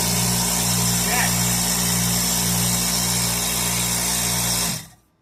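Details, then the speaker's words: Craftsman oilless 60-gallon air compressor, first run test: loud steady motor drone with fast even pump chatter, then a clean stop; it works, running properly. "Success. >> Holy It works. >> It works. It works."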